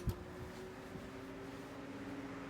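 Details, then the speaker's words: 1981 Dayton (Lasko/Glasgow) 16-inch oscillating desk fan, model 4C508B, on medium speed: steady, faint mid-pitched motor whine under soft air rush. Motor running normally. "there's that beautiful motor wine thing's an overall beast on air moving"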